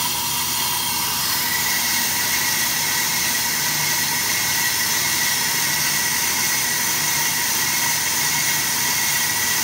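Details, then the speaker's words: AMMCO brake lathe cutting a large, tough rotor that is unstable through one section; steady hissing cut with no rising tone or shudder, the proper tooling absorbs the vibration before chatter develops into a secondary harmonic. "if you listen to the cut you can hear it would really like to start shattering but the tooling is just eating up the chatter the vibration before it becomes a secondary harmonic"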